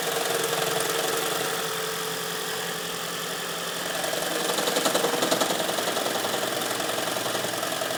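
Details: 2010 Toyota Prius, 4,750 miles, garaged, about 32°F or colder: rough knocking and shaking right after cold start, about two to three knocks a second, normal after 30–45 seconds.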